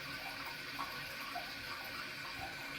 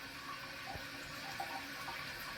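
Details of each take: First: Toilet tank refilling after replacing a leaky flapper with a Korky Universal Ultra 2-inch flapper, chain found sliding under: steady hiss and gurgle of filling water with no dripping or trickling; normal refill, checking for leaks. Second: Toilet with a Korky Universal Ultra 2" flapper, leaking for months: water keeps hissing and trickling into the bowl while the tank fills very slowly; the chain is caught under the flapper, holding it open.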